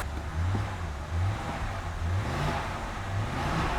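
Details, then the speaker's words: 2009 BMW E70 X5 N62B48 4.8L V8, accessory belt removed: deep smooth rumble rising and falling evenly with throttle blips, no squeal or chirp. Noise comes from the accessories, not the engine. "It's definitely gone. So whatever that noise is, it's coming from the accessories and not the engine."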